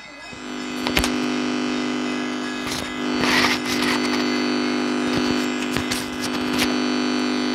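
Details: 6283 IC amplifier board, microphone held on the speaker: steady low hum under scattered crackles and thumps; amplifier hum.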